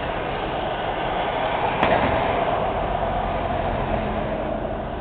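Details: Montreal street manhole cover needing repair: heavy traffic roar with a sharp metallic clank as a wheel rolls over a loose, rocking cover.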